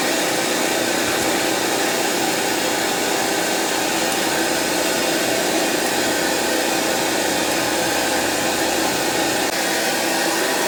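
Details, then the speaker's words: Sony EVS7000 deck: steady even static hiss on audio output, louder with bottom panel removed, sounds like interference. "listen to the sound the same was when i closed the drawer the sound gets louder if i remove the bottom panel almost making it sound like something is it getting interfered with"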